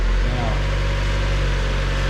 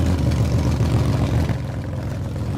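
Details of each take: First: 1999 Mazda Miata 1.8 manual, after coil pack replacement for misfire, rough running and P0420 code: even, low, steady idle with no miss, idling down as it warms up; owner believes faulty coil pack was the cause. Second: 1999 Mazda Miata 1.8 L manual at idle: low, slightly uneven rumble with an occasional bump from a misfire; progressive power loss on acceleration and code P0420.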